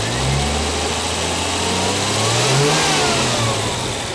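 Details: 1973 TVR 2500M after leaning both rebuilt carburetors with a Gunson Colortune: steady idle with a brief smooth rev blip dropping back cleanly, even and well balanced throughout.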